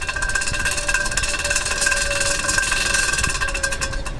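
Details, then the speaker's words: Worn rear wheel bearing heard with the free wheel spun by hand: a gritty, continuous rumble with a faint steady hum; the bearing is shot, and at about 70 mph the noise would grow into a humming, rumbling noise from the wheel. "now imagine going at about 70 mile now okay that noise will increase what it will sound like it will sound like a humming rumbling noise okay from the wheel"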